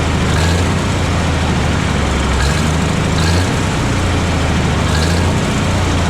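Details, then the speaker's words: 1957 Autocar diesel truck, first start after 15 years unused since 2004, warming up, maybe not on all cylinders: heavy idle with slightly uneven, wavering low beat and some stumbles; rough idle, owner suspects dirty injectors, fresh fuel probably helped, expects smoothing as it runs. "so she's running now she's still running a little bit rough but not bad I think probably it's got some dirty injectors and some more fresh fuel probably helped but the longer it runs the smoother it should get"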